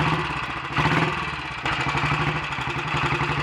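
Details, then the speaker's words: Royal Enfield Bullet 500 single, ported head, shortened aluminium barrel, 9:1 piston, ignition timing strobe-set: slow, lumpy thump settling to steady tickover after revs drop, no misses or knocks; a good runner. "so there we are we've got a good runner"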